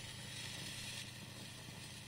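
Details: Fender Champ guitar amp with a failing 12AX7 preamp valve: a loud frying hiss and crackle that cuts in and out over a low mains hum; a new preamp valve cured it.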